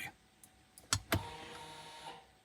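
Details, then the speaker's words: 2019 Ford Escape electronic parking brake, after exiting maintenance mode and rear caliper piston compression: two sharp clicks, short even motor whir stopping cleanly; releases and sets normally, cycled a few times. "Okay, released, set, and just do this a couple of times."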